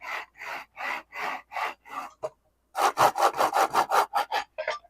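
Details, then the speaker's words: 3018S TwoTrees CNC router during build, linear bearings moved by hand: rough gritty rasp about two and a half strokes per second; bearings sound dry and crunchy, thought to need silicone grease. "That's so horrible. Yeah, crunchy. That's going to need some silicone grease, man."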